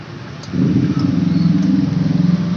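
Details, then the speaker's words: Honda Beat ESP automatic scooter with normal battery and dead electric starter: the starter gives a steady low electric hum with no engine cranking following it. "bisa mendengarkan suaranya ya suaranya mendengung tapi tidak ada isinya"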